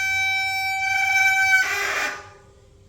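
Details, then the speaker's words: Mountain bike front disc brake gives a loud, piercing squeal and has weak power, before the brakes are serviced. "today I'm going to be showing you a solution for squeaky mountain bike brakes here's an example of my front brake which is squeaky"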